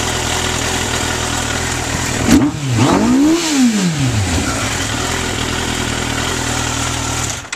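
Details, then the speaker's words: 1994 Suzuki GSX-R1100 with Vance & Hines exhaust, still cold: steady idle, then a quick clean rev rising and falling smoothly, no misses or knocks. Owner says it runs smooth when warm with no drivability problems. Healthy engine revving. "Once it's warmed up, it runs fantastic, smooth. It doesn't have any kind of running drivability problems."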